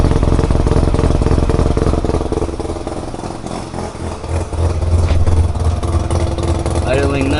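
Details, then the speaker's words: Mazda FC RX-7 with a rebuilt rotary engine, first start in 6 years. A steady, lumpy low burble with an even rhythm and no misses or knocks; normal idle, O2 reading rich. "nicely O2 is kind of rich but that'll get figured out"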